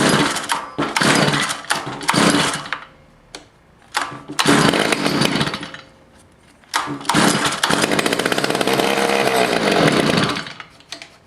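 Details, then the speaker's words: Stihl FS55 trimmer just after a carburetor, fuel line, fuel filter and air filter replacement (it previously would not prime): two-stroke buzzes in short bursts settling into a steady run, before idle adjustment; runs normally. "Oh it is idling now I get out to adjust the carburetor"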